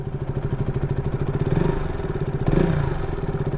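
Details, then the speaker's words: KTM Duke 200 BS4 single-cylinder: quick, even tick-tick rattle riding on the engine beat and following engine speed; cam chain slapping from worn cam chain adjuster/tensioner, cam chain and adjuster to be replaced. "त्यो बिहे गर्द्या होनि ट्याक ट्याक ट्याक हान्छ केमचेनको"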